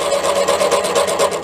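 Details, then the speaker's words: Drilling out a damaged sludge trap plug in a BSA A10 crank with a 15mm Irwin TCT-tipped metal drill bit: strained squealing grind pulsing about five times a second, fine chips; very hard material, owner suspects weld rather than a plug. "you can hear how hard that is to drill. You can see the fine chips coming off it."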